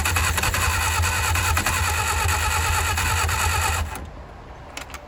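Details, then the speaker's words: 1959 Reliant Regal Mk5/Mk6 three-wheeler, first start attempt after 20+ years unrun, two-stroke fuel in carb; steady cranking about three turns a second, splutters but never runs; carburetor flooding from stuck float. "I think she might have just fired. I think she might have just spluttered. I think she's trying. Oh man, she's trying. She is firing. It's an unmistakable sound."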